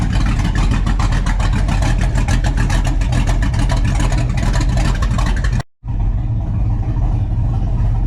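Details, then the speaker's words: LQ4 6.0 V8 in GMC after ported 317 heads and 224/228 .600 lift 112 LSA cam install, untuned, exhaust cutouts open: loud deep idle with uneven choppy lope in exhaust pulses; aftermarket cam lope at idle. "It's got some loop to it. It's sounding better and better every time we fire it up."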